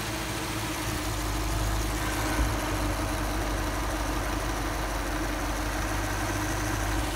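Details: Lexus LS 430 V8, timing belt and water pump done August 2020 at 93,000 miles, idling: quiet, steady low hum with no knocks, misses or rhythm changes; smooth, healthy idle.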